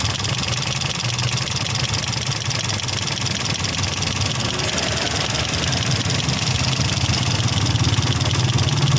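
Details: Toyota Vios 2NZ-FE petrol engine with no-power complaint: uneven idle with irregular stumble and hissy background that never settles into a steady beat, engine vibration and idle fluctuation pointing to a cylinder misfire.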